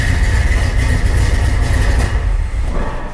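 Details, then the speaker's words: 1978 Ford F-250 V8, likely 400 or 351, cold start: deep, steady rumble with an even beat and no knocks or misses, idling cleanly; normal cold start and idle. "This is a cold start, and it was very impressive to me how well it runs."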